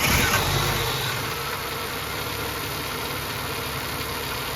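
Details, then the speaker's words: AU Falcon restarted after hydraulic lifter work, bolt retensioning and new spark plug leads, after a short drive; starter catch then steady smooth idle with only a faint even tick; lifters now quiet. "That's pretty quiet. Give it a little rev."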